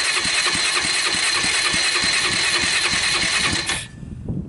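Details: Circa-1988 Kawasaki Bayou 220 ATV on electric starter after loosening over-tight intake valve lash: starter whirs with even puffs about three per second, each stroke pushing back firmly; compression restored, healthy cranking compression.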